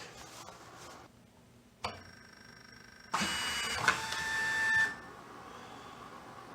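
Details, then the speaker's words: IBM 4400 (6700) thermal label printer after cleaning dirty media sensor and saving calibration to boot-up: short clicks then even motor whir feeding labels about two seconds, stopping cleanly; now works properly. "there you go now we're cooking with fire that's the way it should work awesome so this one's fixed"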